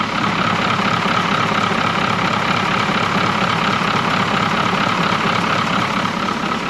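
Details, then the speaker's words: 1981 International Harvester diesel snow plow truck, sat for years, alternator locked up, with water in it: steady, even diesel idle clattering about four beats a second with no misses or surging. Normal diesel idle. "all right starts right up now it's running pretty good actually if you ask me"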